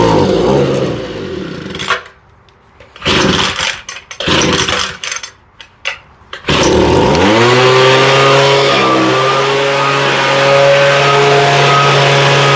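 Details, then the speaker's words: Homelite leaf blower, owner had replaced fuel lines and redone the carburetor; starts well, seems to run a little rich, then cuts out and sputters before catching into a steady high-pitched run; intermittent stalling and stumbling, cause unclear. "everything looks okay but she just stalled completely"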